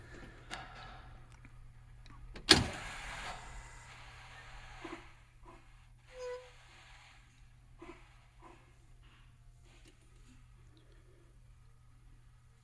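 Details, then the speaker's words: 2006 IC CE300 school bus with DT466e diesel at key-on: one loud click from the electrical panel solenoid, then injector buzzing and faint ABS ticks as systems prime; a normal key-on sequence before starting. "you'll hear the loud click from the electrical panel which is solenoid you'll hear the injectors buzzing and then you'll hear the abs you know noises"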